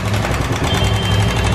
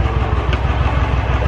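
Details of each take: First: Royal Enfield BS4 single-cylinder at idle. A quick, steady metallic ticking rides over the thumping idle; the clip attributes it to hydraulic tappets with dirty oil: tappet tick. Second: Royal Enfield BS4 single, after the tick-noise fix: even, steady low thumping at idle with no ticking; valve train quiet and healthy, normal idle.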